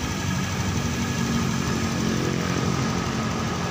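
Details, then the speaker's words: Honda Scoopy fuel-injected scooter after engine overhaul and steering bearings replaced: steady, even idle hum at constant speed with no knocks or rattles; back to original condition, normal idle. "yang jelas ini motornya udah sesuai kembali ke kondisi semula"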